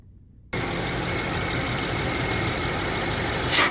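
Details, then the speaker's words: BMW 750Li idling after its first drive: a thin, constant high whistle from the engine, despite all PCV components having been replaced. A PCV issue is suspected. "A lot of you guys commented that it was the PCV system, and I recognized that noise as a PCV issue too, but it didn't make any sense because I had already replaced all the components."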